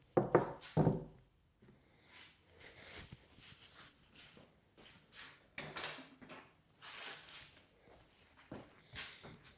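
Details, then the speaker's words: Mountain bike on a stand with the rear wheel removed, recently washed: a couple of hard knocks, then repeated soft creaks as the rear suspension linkage is loaded by hand; suspected dry or dirty linkage bolts, not confirmed. "Now, when you put stress on it, you can very clearly hear the creaking."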